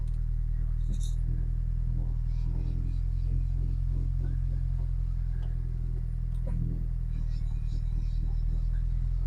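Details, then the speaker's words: Mini Cooper S, first start after engine rebuild: deep, steady low rumble with no knocks or misses, only light handling noise on top; normal idle, gears selectable. "It starts, it runs, I can select gear, I could hear the wheels turning in the brakes."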